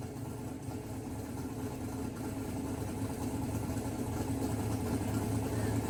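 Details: Mississippi Queen V8 first start after the AWD build, fresh fluids, oil and plugs, and a splice on a pulled CDI 600 wire, timing not yet verified: even, lumpy idle building slightly louder, no knocks or misfires; good oil pressure.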